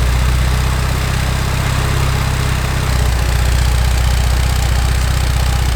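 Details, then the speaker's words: Porsche 924 with a long-standing rough idle and a high temperature gauge: steady, slightly hunting idle. A vacuum leak was suspected, and a smoke test found a cracked idle air control hose under the manifold. "I feel like I can actually hear a vacuum leak up here a little noise up in this [Music] area"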